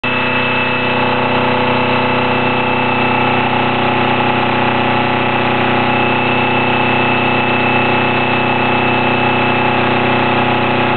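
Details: 1982 Yanmar 2GM sailboat diesel with KM2A cone transmission: loud piercing squeal in forward gear only, from about 1200 rpm growing louder to 2900–3000 rpm then fading; not belts, water pump or alternator; absent in neutral and reverse.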